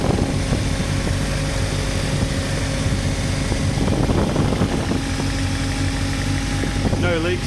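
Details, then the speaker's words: Toyota TA22 Celica 4A-GE, old fuel causing idle dropping to two or three cylinders: steady idle drone with lumpy uneven beat, a bad miss, heard restarting after ultrasonic cleaning of the fuel injectors. "yeah it definitely doesn't sound happy let's see if it evens out a bit [Music] [Music] okay so we definitely don't have four got a bad miss"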